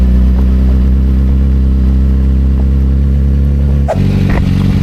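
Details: 2007 Suzuki GSX-R750 inline-four with Power Commander 5 and M4 slip-on exhaust, revving: pulls smooth and even, then the note drops cleanly as the throttle closes, with no clatter or misfire. Normal revving.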